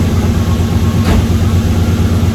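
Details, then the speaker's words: 1UZ V8 Toyota Soarer/SC400 just after a serpentine belt replacement: smooth, even idle with steady low rumble and no squeal or chirp at all; the old belt, not the tensioner, caused the squeal. "Not even a second of squealing. Fuck yeah. Good job. Serpentine belt fixed."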